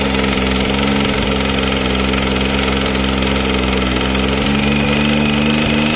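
Engine idling with a light, irregular tick riding over the mid-pitched hum; a ticking noise from the engine, source not pinned down.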